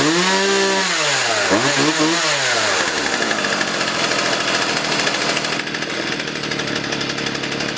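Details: Partner 351 two-stroke chainsaw started from cold after a carburettor kit rebuild and new spark plug: it catches, blips up and down twice, then holds a steady high-rev scream without stumbling, so the carb is now metering properly.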